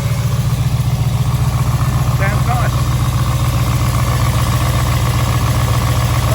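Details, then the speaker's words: Rebuilt V8, cold start, lifter tick that began about 3,500 km after the rebuild and persisted through different oils, now quieter. A steady idle with quick, even light tapping in time with the engine, from a suspected dead hydraulic lifter. Hydraulic lifter tick. "3 and half th000 K I started getting a Ticky lifter and it became really annoying I've tried different oils thin thick all sorts and it just didn't go away"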